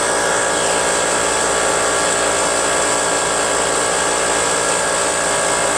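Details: Brute Briggs & Stratton 10-gallon 125 psi air compressor, cover on, after check valve and pressure switch adjustment: loud steady high-pitched pump drone, no knocks or stumbles; pumping normally, now cutting out 140 psi, restarting 110 psi.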